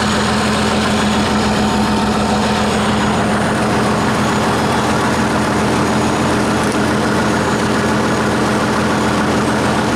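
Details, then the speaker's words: 1959 Caterpillar D337F diesel genset, about 959–960 hours, long stored in a barn, first run after revival, no load, barely up to operating temperature: deep steady drone with even low throb, no knocks or misses; runs well. "see it had 959 960 hours on it seems to do pretty well of course them have a load on it or anything you know it's it's barely up to operating temperature"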